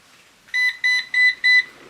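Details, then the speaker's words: Eufy RoboVac 11 with new battery, steady red light and four evenly spaced high beeps about a third of a second apart: error code for a stuck roller brush, which is not turning. "Red indicator, steady on, 4 beeps, rolling brush is stuck, which it is."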